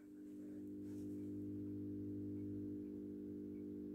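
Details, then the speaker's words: AEG BF400 discharge lamp, lit after striking; ballast gives steady low mains hum with even buzzing tone, no rattle or flicker noise; normal ballast hum. "Hop, donc une BF400, donc la même que dans la précédente vidéo. Le ballast qui bourdonne à merveille."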